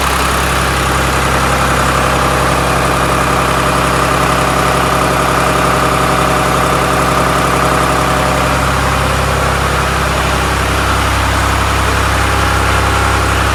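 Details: 1993 Lombardini diesel generator after restoration: loud, steady diesel clatter with even low drone, settling slightly lower partway; runs smoothly, normal running.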